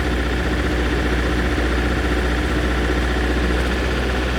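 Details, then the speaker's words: MEP 803A diesel generator, cold, after fuel-system work and purging air: uneven lumpy idle, one cylinder misfiring then catching up. Cold compression 110, 120, 124, 108, 106; owner suspects a ring stuck from sitting. Unconfirmed. "Yeah, See, it's like extra bad now. That's definitely a cylinder not firing correctly and then catching up."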